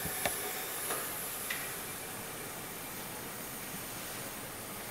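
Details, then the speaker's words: 2005 Chrysler Pacifica after A/C condenser replacement, oil injected, machine charging 1.81 lb refrigerant through the high side: quiet steady hiss with a few faint ticks as refrigerant flows evenly in; normal charging. "you can hear it going in and the uh AC machine here does a uh does a countdown"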